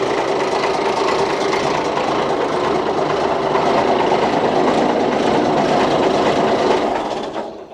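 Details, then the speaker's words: 47-year-old Ford FW30 articulated tractor diesel, after costly engine work, not first start: steady even clatter at constant speed, no misses or knocks, then dies away; much better than before, normal running. "Listen to that. That's so much better. So much better. Yeah, she definitely ready for a bit of work again now."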